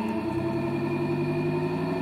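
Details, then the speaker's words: Three-phase motor run from a 240 V single-phase socket with one start capacitor removed (three left): low hum creeping slowly up in pitch as it struggles to start, too little start capacitance. "what happens what happens is if i turn it on it's very slow struggle to get started [Music] but then"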